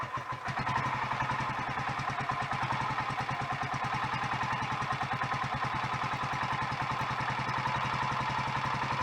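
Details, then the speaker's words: Royal Enfield Electra X single at its first cold start after a rebuild with new conrod, big end and piston: a cough, then a steady idle thump with a clattery mechanical edge. It sounds better than before, but the remaining noise is not big end or piston; timing gears are suspected. "well i guess you're gonna have to take my word for it but it sounds better than it did before i stripped it and put the new big end in"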